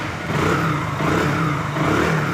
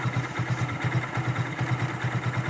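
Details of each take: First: Hero Glamour bike, only about 400–500 km since another mechanic's full engine rebuild, running with the clutch being released: rough rumbling clatter under the exhaust beat, rising and falling with throttle. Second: Hero Glamour single after bearing repair: even, steady idle thump with no knocking or rattles; the earlier engine noise is gone. Normal idle after repair.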